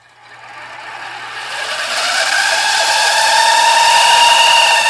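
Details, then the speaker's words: Funai-made VCR (2001–2016 mechanism, e.g. Sylvania, Emerson, Toshiba combos): a thin whine climbs in pitch as the tape speeds up on rewind, from dry gear bearings. The fix starts by unscrewing and removing a bracket. "hey guys do you hate when your funai made vcrs such as just sylvania msn toshiba combos um etc makes a loud wine sound like this for example"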